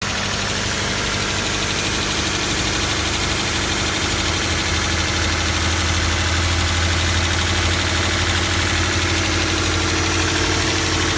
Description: 2012 Toyota 86, is the engine rattle sound normal? i can hear the rattle inside the car..